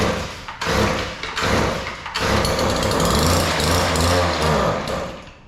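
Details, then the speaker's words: Weedeater 2-stroke yard edger: engine stutters and surges in ragged bursts, can't hold speed; both carburetor mixture screws far out of adjustment, too lean; fixed by opening them; lean running. "The uh screws were just way out of adjustment. Uh they were both too lean."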